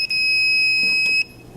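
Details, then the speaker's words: Insulation tester probe passed slowly along a laparoscopic instrument shaft; a single shrill steady beep of about a second sounds where it passes, the alarm showing a break in the shaft's insulation. "as you can hear and you can see by the alarm it's going off you want to go slow all the way down the shaft to the proximal end"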